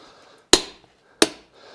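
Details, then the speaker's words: Torque wrench tightening camper/truck wheel lug nuts, set lower than spec so it clicks: two sharp metallic clicks about three quarters of a second apart as the wrench breaks over at set torque, showing it's tight enough. "And you hear that click, and that tells you that it's tight enough."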